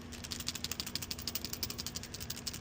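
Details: Genuine Toyota/Aisin PCV valve (12204-61010), new, shaken by hand, for a 1987 Toyota Land Cruiser FJ60 4.2L 2F inline-6: quick crisp clicking rattle like marbles, the check ball moving freely; normal free-moving PCV valve.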